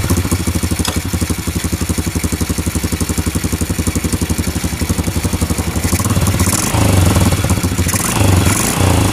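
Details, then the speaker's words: Honda Revo Absolute after engine rebuild with worn, sand-grinding bearings, shaft and clutch shoes replaced: even single-cylinder thump at idle, picking up smoothly when revved high, no rattle; normal running after repair. "Oke Guys meskipun mesinnya kita geber-geber dengan e RPM tinggi namun mesinnya tetap halus"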